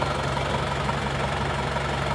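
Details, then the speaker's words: Diesel from Madiun at idle after second engine teardown with new genuine seals, second-hand block and reversed liners; smooth steady clatter with no tapping, sounding like new. "ini sekarang sudah R suaranya jadi ini sudah R seperti pter baru"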